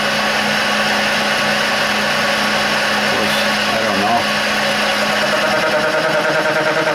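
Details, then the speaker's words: Burke horizontal mill threading a stub arbor, taking about 5-thousandths cuts: a steady high spindle hum with a fast, chattery cutting buzz. The spindle speed is too fast for this cutter size. "gonna take another 5 and see what happens. And I think that speed's a little fast for that size of the cutter."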